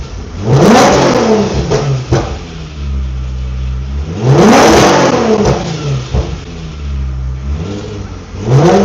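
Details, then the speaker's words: Infiniti G35 drift car with VQ V6 engine, started up to show it. Engine catches and revs cleanly in several quick blips, pitch rising and falling smoothly, no knocks or rattles. Owner says it sounds nice and revs fast: normal revving. "Man, this thing here, it sounds nice. It rev fast."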